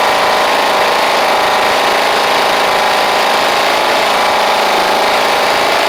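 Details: Toro Proline walk-behind mower with Kohler Command engine, after new spark plug and carburetor, blade missing: even, unbroken hum with no misses, surges or knocks; normal running.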